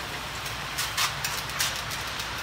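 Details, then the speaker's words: Briggs & Stratton Brute pressure washer with the water on, engine not yet started. Irregular hiss and spitting bursts from the gun as trapped air purges from the water line, done to keep the high-pressure pump from pumping air and scoring its cylinders. "it's spitting and sputtering. And I want to let it run until it stops sputtering."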